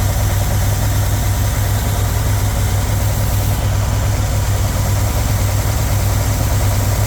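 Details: 1977 GMC Sierra Grande, small-block Chevy 350 V8, after valve adjustment with valve covers refitted: deep, even idle with a steady low rumble and no ticks or misses. Idle is normal and smooth.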